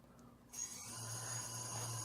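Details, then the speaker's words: Quadcopter motors spun up together via the master slider in the Betaflight motors tab with the battery connected: thin, steady high whine and even low hum with no rattle, all motors spooled up properly. "can see all the motors are spooled up that's perfect that's exactly what I want to see"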